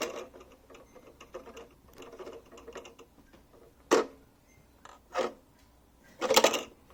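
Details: Fan heater: loose, uneven ticking and light rattling broken by a few louder bumps; appears to be a broken fan/motor mount.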